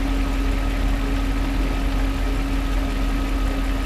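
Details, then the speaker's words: Mercedes SL500 R129 V8 started after the coolant fan relays were refitted with cleaned contacts: smooth, steady idle under a constant low roar and whir from the engaged fan clutch; normal idle. "Let's start the engine. And right off the bat, I can hear fan clutch engaged."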